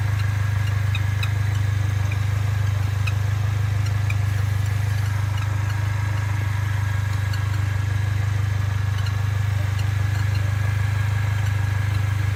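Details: Mercedes-Benz A45 AMG, fully warm after tens of km of driving: faint, very regular high chirps about three a second over an even idle, a bird-like sound heard on a certain road or posture. Source unknown.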